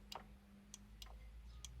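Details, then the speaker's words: Homemade Lightning McQueen vehicle, new brake switch from a front brake lever refitted for brake lights: crisp light clicks, about five in two seconds, each time the lever moves; switch working normally. "Yep, that little click is that switch. So I should actually be able to put brake lights on this fully, which will be lovely."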